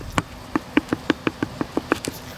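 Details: Honda Stepwgn front anti-roll bar link, rocked by hand: sharp dry clacks about six a second. The ball joint has in-and-out play and is being replaced.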